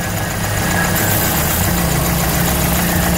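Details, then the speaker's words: Petrol carburetor engine at uneven idle, slight air leak: detergent spray on the manifold changes nothing, but at the carburetor base the low rumble shifts, locating a vacuum leak there; gasket replacement suggested. "já achamos adamento aqui ó ó ó ó o barulhinho ó u esse pedacinho aqui tá deixando passar"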